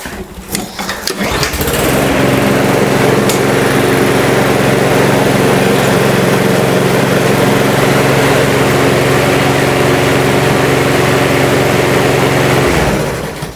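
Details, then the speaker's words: Briggs & Stratton mower after carburetor repair with the tank filled: it fires on the first pull and settles into a steady, even buzz with no surging. Some smoke is suspected to be oil in the cylinder from being tilted over. "That's excellent. First pull, away she went."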